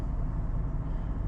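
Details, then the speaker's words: Land Rover LR3 after ignition coil repair for rough running and misfire, now in park: low, even idle with a steady beat and no stumble or miss; normal smooth idle. "it's in park right now so but it does not starter it has a nice and smooth indian run right now um"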